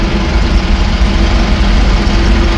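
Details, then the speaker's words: 1966 Ford F350 dump truck on a long drive home; at speeds above about 55 a heavy steady low drone and massive howl that goes away with the clutch pushed in; transmission or driveline suspected, unconfirmed. "This truck has, it's not terrible if you keep her under 55, but there is a massive howl if you get her up a little higher. And goes away with the clutch being pushed in."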